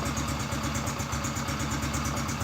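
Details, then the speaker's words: Honda Biz C100 single-cylinder engine just rebuilt, first start, idle set very low: even putter, about seven pulses a second, steady and free of knocks or rattles; normal idle. "Aparentemente no hay ruido que vamos acelerar un poquito est quedó muy baja"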